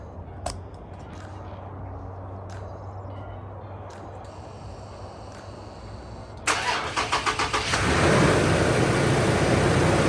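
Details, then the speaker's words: Rebuilt wrecked 3rd-gen Toyota Tacoma, first start after adding coolant: brief quick cranking, then it catches promptly and settles into a smooth, even idle; no leaks, super healthy. "solid no leaks that was just me spilling a little bit and it sounds good sounds really good that sounds super healthy"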